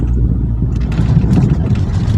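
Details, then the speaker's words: Toyota Alphard on simulated rough road after steering clunk repair: steady low road rumble with no knocks or clunks from the steering, problem resolved. "bunyi klub-klub pada stir sudah tidak terdengar ya jadi simpulkan bahwasanya problem-problem sudah clear"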